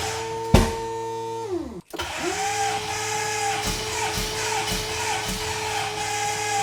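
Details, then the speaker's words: VK Calais, first start attempt: starter spins the engine at about two beats a second with no firing. Seemingly no fuel, as injectors sat for ages with ethanol and did not click; pushrods were also an issue. "it's not starting that some doesn't sound like is getting any fuel but we just tested in an injector just to see if it it click because been sitting around for ages with ethanol in it and none of them seem to do anything"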